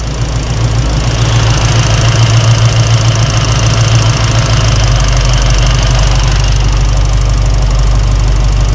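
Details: V8 just fitted with Holley Sniper 2 EFI, initial start-up after fixing fuel leak, around 1,200 rpm with air-fuel ratio tightening: deep, even idle with steady low burble, no ticks or misses; normal idle.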